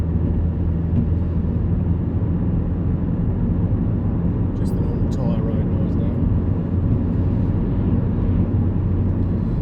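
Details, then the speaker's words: Car's rear wheel bearing replaced: a test drive at cruising speed gives steady low tyre rumble with no droning hum, now quiet. The old bearing was badly worn. "Sounds much nicer. No more hob droney noise. That bearing was pretty knackered. Nice and quiet."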